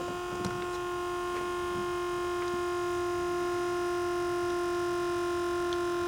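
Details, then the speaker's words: Buick Grand National Powermaster brake pump motor after installing new pressure switch, replacing one leaking internally: steady electric whine, shuts off with no rapid clicking or short cycling; normal pump run with good switch. "Okay. Let's say you just installed a new pressure switch. And this is what it should sound like."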